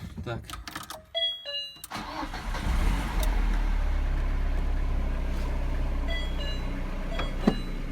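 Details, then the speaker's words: VAZ 2113/2114 (2108-family) gearbox, running: engine catches, then a steady droning hum with a thin whine on top; whistle attributed to the two fifth-gear bearings, also slight idle rpm fluctuation; bearings to be replaced. "Сейчас там отчетливо слышен свист подшипников. Здесь. Если вы можете это услышать, то, по сути, это исходит от двух подшипников пятой передачи"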